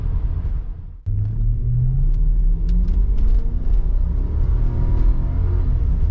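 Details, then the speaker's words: 1995 Lexus LS400, 160,000 miles, warm engine after ECU replacement, accelerating hard on the road above 5000 rpm: strong, smooth climb in engine pitch with no stumbles; intermittent misfire solved, pulling strong. "I think that's it I think we solved it there's no misfire pulling strong I almost went above the speed limit there"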